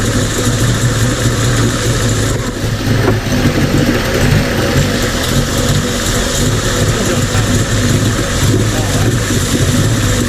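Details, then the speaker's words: Mercury 50 two-stroke outboard (engine family 9M9XM00591C1), previously rough idle and stalling, after new fuel filter and resealing the carburetor air inlet box: steady even low burbling idle, best it has idled since new. "so with that running you saw it run that's the best it's ever idled since I've known Ben he says it's the best title since he's owned the boat which it was brand new"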